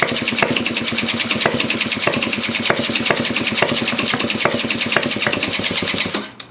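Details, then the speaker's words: 1987 Honda Aero 50 two-stroke scooter, first start after draining bad old gas and refitting carb: quick, even putter that keeps trying but never catches, then dies; sputtering no-start, owner suspects old fuel still in the lines. "Ooh, it's almost there. Oh, it's so close. It's so close. It's puttering way better, which means the fuel."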